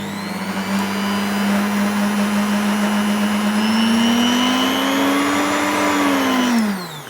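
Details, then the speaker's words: Charity-shop mixer of unknown age at maximum speed: clean steady motor whine climbing with speed then winding down, no grinding or rattle; smoother than expected. "But that actually works all right. I've got to say that's smoother sounding than I expected it to be."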